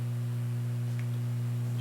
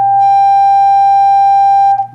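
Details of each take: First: Fender Hot Rod Deluxe tube amp, nothing connected, after a bad phase inverter resistor was repaired: steady low mains hum from a failing ICC power-supply filter capacitor; the capacitors are to be replaced. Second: Fender Hot Rod Deluxe tube amp after repairing a bad resistor in the phase inverter circuit, which caused low output and distortion: steady clean test tone for about two seconds.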